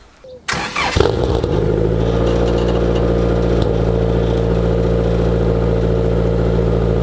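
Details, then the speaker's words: Honda Integra DA9 with a turbocharged B20 VTEC engine, first start after work including an exhaust routed past the oil pan: it catches within a second and settles into a smooth, even idle with a steady low exhaust note, sounding healthy. "Sounds good to me. Well, I'm stoked."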